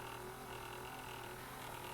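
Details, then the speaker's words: Panasonic NV-FS100 VCR, shuttle control going from reverse slow motion up to reverse playback and reverse review: a faint, steady mid-pitched hum with no grinding or wavering. The review motor runs cleanly and the deck works normally. "Pretty clear picture for that. Hear the review motor running for"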